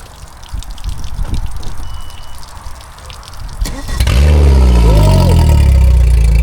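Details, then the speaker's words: Race boat engine after repairing a low system voltage fault, previously refusing to run properly: quick crank catches around four seconds into a strong steady rumble with a brief rev; starts and runs cleanly. "Yeah. It's alive! Hey. Are we happy? Give it a couple of revs."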